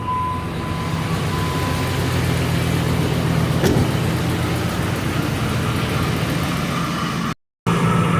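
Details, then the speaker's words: 2005 Dodge Ram 1500 with catalytic converters removed and straight pipes: deep steady idle burble, no ticking or puffing after sealing leaking joints with exhaust repair putty. "Crazy as it might sound, it has sealed them up."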